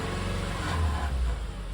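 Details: 2010 Subaru Forester: engine revved to about 2700 rpm, where a metallic grinding rattle rides over the exhaust, also heard on acceleration and sometimes at idle; caused by a loose exhaust heat shield.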